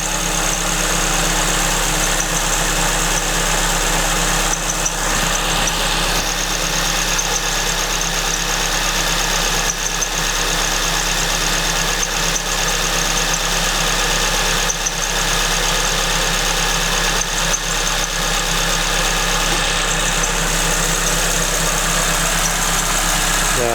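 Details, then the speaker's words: Suzuki Swift ZC31S with supercharger, cold idle: thin continuous high-pitched squeal from the supercharger drive V-belt at the main pulley; engine itself sounds fine. "speaking noise-nya dari supercharger ya. Dia lagi call idle sekarang. Dari ini, dari main pulley-nya."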